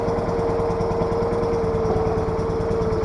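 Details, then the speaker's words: Case 446 garden tractor, old Onan twin, cold just after start: steady fast idle with slightly lumpy uneven beat and faint whine, running super rich with gas smell, before carburetor adjustment. "Yeah, you can just smell all that gas. It's running super rich."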